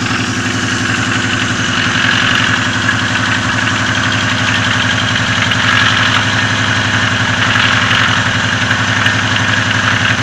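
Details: Lada Oka (VAZ-1111) engine, valve clearances in spec: rough idle with a steady light knock about four per second; worsening over time, present at low rpm, gone when revved; engine knock at idle, cause unknown.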